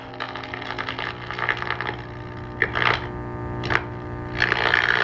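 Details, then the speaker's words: Circa 1946–47 Arvin metal-cased four-tube radio with test speaker clipped in: steady low 60-cycle hum under faint station audio as tubes warm up, from a bad electrolytic filter capacitor letting ripple through. "I anticipate hearing some 60 cycle hum here in a few moments when the tubes warm up"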